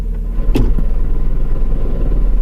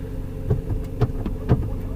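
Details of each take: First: Manual car at idle: runs fine with the clutch in, but a low, fast rattle of about three per second appears once the clutch is let out. It has gotten much worse; owner suspects the transmission. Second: Jeep Patriot idling with clutch pressed in: low, steady throb with regular pulses about twice a second, no rattle; engine runs fine. A rattle appears only when the clutch is let out. Normal idle.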